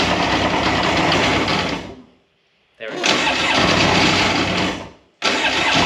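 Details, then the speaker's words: 2001 Polaris Virage 700 two-stroke jet ski, first start-up, spark plugs possibly trashed: rough bursts of revving with a loose, rattly clatter over the engine; rattle from the rear, source unknown, but it holds an idle. "I don't know how they're supposed to sound, but I don't like the way that one sounds. But I mean, it runs. Back here is rattling. There's a rattle or something from somewhere."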